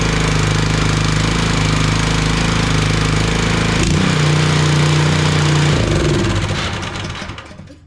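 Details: DeWalt 3400 psi gas pressure washer, small engine runs at a fast even beat for several seconds, then cuts out abruptly as if switched off; engine stalls after starting, owner suspects water in fuel (rusty spark plug), draining fuel to check.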